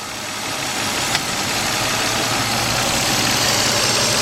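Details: 2004 Nissan Maxima 3.5, after P0306 cylinder 6 misfire repair, warmed up about 15 minutes and in gear: settles into a steady, even idle with no stumble or shake; normal idle.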